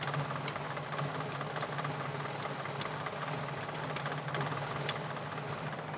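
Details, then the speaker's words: Feroza carbureted engine after carburetor work with filter fitted: low idle broken by irregular ticks and stumbles, slight limping; a long spark plug wire leaking to the body causes the misfire, plugs possibly still dirty. "untuk khususnya zebra Feroza yang kabel businya panjang gini ini kalau bocor gini bocor di bagian body ini biasanya juga"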